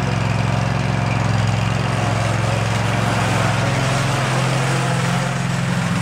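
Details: Field-find riding lawn mower on a drive test, before service and oil change, throttle all the way up: loud steady drone with an even firing beat, holding speed while driving off; runs strong, drives well.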